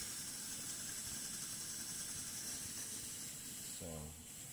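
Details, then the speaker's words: Coleman 508A single-burner stove after its leaking check valve was fixed, with the generator warming up; a small leak elsewhere remains. An even, steady roaring hiss with no sputtering, pressure holding, flame lit right away; normal burner operation. "it's just warming up the generator. But I can feel that the pressure is not leaking. That's why you see a beautiful flame right away."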